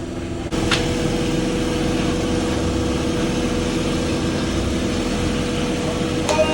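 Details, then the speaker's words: Honda Prelude with a swapped H23 engine, first start, with the power steering belt about to come off: steady, even idle hum with no knocks or misses; normal idle. "Too much noise going on, but She's running."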